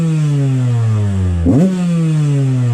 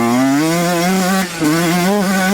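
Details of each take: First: Yamaha YZ125 two-stroke started cold without choke, before repair: blubbers and sags with uneven revs and sputtering, far too rich, later traced to a leaking carburetor float. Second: Yamaha YZ125 two-stroke during rich-running diagnosis with 430 main jet: sharp, clear note holding high revs wide open without bogging, top end clean.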